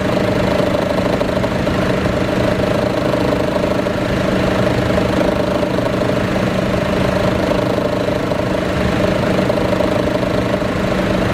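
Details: Chevy Cruze at idle with AC on, near the exhaust manifold, AC compressor recently replaced: steady low growl with constant drone, gone when driving off; source not found.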